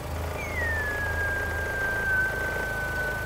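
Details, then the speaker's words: VW Golf with a flat-battery complaint, engine idling: a clear steady high whine settles around 1.6 kHz over the low rumble. It is the alternator charging normally. "ist der Generator, den man hört, dass er lädt."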